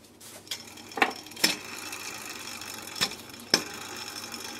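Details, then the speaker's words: Removed belt tensioner pulley from a 2006 Audi A3 Sportback 2.0 140 hp, spun by hand: a faint dry hiss, faint ringing and a few sharp clicks from a tiring bearing that caused a whistle; the new pulley is silent. "entendez donc on entend que le roulement et commence à fatiguer"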